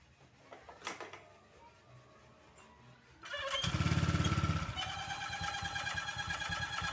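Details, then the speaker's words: Honda Vario 150 scooter at idle: once it fires, a thin "ngik ngik" squeak pulses about three times a second over the idle; cause found at the water pump, never opened before, a mechanical seal squeal. "Oke Guys ini yang tadi Vario kalau posisi mesin idle bunyi ngik ngik ngik ngik ngik ya kayak kembang kempis Nah di sini ternyata permasalahannya itu benar dari bagian sini dari bagian yang namanya water pump ya"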